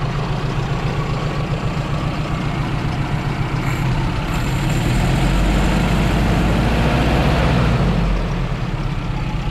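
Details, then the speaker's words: 2001 Dodge Ram 1500, open pipes: loud, deep, lumpy stumbling idle; owner thinks he blew a gasket, cause unconfirmed. "I think I blew a gasket huggy pretty shoddy because it likes to stumble it's not not having it"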